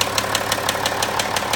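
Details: Land Rover Discovery 4 with 64,000 km: sharp ticking about six per second over a steady idle; the owner attributes it to crankshaft failure, a common problem on this engine.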